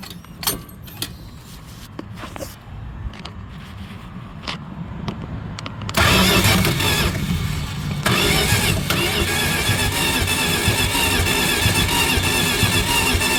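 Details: Dodge 318 V8 that died while driving, spark and fuel present, new ignition coil fitted, ether tried: cranks steadily but won't start, hollow puffing air back out through the carburetor.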